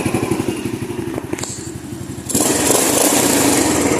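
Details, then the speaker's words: Honda Astrea Grand (older motorcycle), idle: quick, even exhaust pulses about four per second, then muffled and hissy as the exhaust is blocked; smooth engine with no tapping or head knock, an example of an engine still running smoothly. "dan ini adalah contoh motor yang masih halus"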